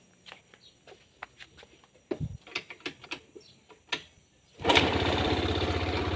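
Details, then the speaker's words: Honda Scoopy with no ignition or electrics, after fixing weak power connection and starter switch fault: several switch clicks, then starter catches and engine settles into an even steady run; normal engine start. "mantap ya jadi motor sudah hidup kembali"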